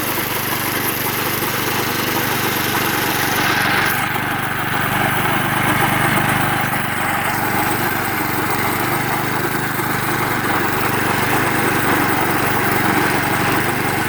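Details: Vintage (likely 1970s) McLane 20-inch reel mower with a Briggs & Stratton engine, revived after sitting about 14–15 years, drones steadily with the reel engaged, no misses or surging. It runs properly; the reel needs tightening and has a bad bearing.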